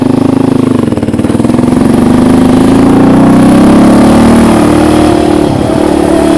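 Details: Raptor 700 ridden during a clutch switch test; revs rise, then stutter and drop in a choppy, limiter-like cut under throttle as the clutch switch is pushed in; cause suspected, not confirmed.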